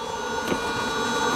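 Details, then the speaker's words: Camper van Thetford cassette toilet SOG odour-extraction 12 V fan, running when the valve is opened: thin steady hum at one even pitch, no rattle or scraping; fan spinning normally, stops when closed. "Quand tu tournes la vanne dans l'autre sens, voilà, ça s'est ouvert. Et on entend bien le ventilo qui"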